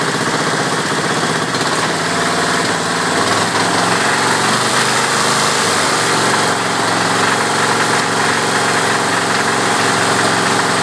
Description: Kohler K321 in John Deere 314 recently rebuilt, but makes a rattling sound and misfires occassionally